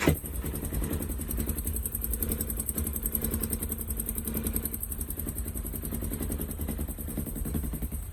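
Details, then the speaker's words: Engine idling at 47,346 km with a fast, even light ticking. The owner replaced a spring that chafes through from vibration during long 120–130 km/h driving, and now suspects the tensioner; the cause is unconfirmed. "пружинка перетирается когда едешь очень долго со скоростью 120-130 вибрация очень большая ина перетирается сейчас появился звук"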